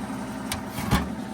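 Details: Rebuilt 90-year-old gas pump running on diesel: quiet, even motor hum with a couple of soft mechanical clicks, no rubbing or labouring; the motor runs healthy.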